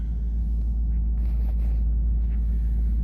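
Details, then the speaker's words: 2018 Ford F350, 6.7 Powerstroke diesel, about 210,000 miles, cold, warming up at idle: deep steady rumble with even beat, no knocks or rattles; normal healthy cold idle. "so yeah we'll let this warm up for a few get the fluid circulating and i'll put it in high idle because it's cold and this thing likes to be warmed up before you drive it"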